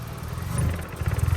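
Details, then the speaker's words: 2002 Infiniti G20 with SR20 engine, crank sensor replaced, rough idle and limp mode limiting to 2500 rpm, jump-started: deep rumble idles fine but pulses and falters on throttle; hesitation under throttle. "So, it is idling fine, but you give it any kind of like gas. Oh, yeah."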